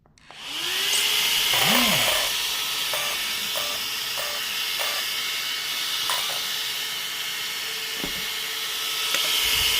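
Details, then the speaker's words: Arrma Notorious 6S ESC cooling fan after replacement with BLX185 fan: small fan spins up to a steady, even high-pitched whir with no rattle or wobble; new fan running normally. "And it's working. See, you can hear. The fan is spinning."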